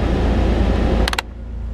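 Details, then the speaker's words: 2000 Jeep Wrangler heater blower: steady fan roar cuts out abruptly on setting four after a few clicks at the control, only faint hum remains; restarts when the switch is nudged. Faulty blower switch contact, not the motor; new switch to be ordered. "The contacts in this switch. It's not the blower, because that would last a lot longer until the blower overheated and shut it down. But it's this switch here."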